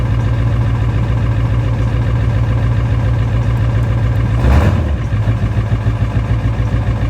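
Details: 7.3 diesel: long, laboured cranking with a low, even pulse about three to four times a second and no clean catch; hard start.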